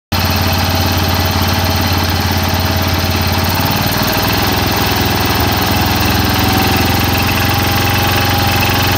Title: Cub cadet engine rattle